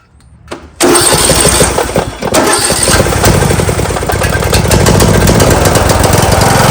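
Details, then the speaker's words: John Deere LA115 mower, 19.5 hp Briggs & Stratton engine that dies at idle and smokes black; uneven, lumpy beat around idle. The plug looks rich and a flooding carburetor is suspected. Rough idle and stalling. "Today I got a LA115 here. She dies down at idle. I'll show you what it does. Also starts smoking too."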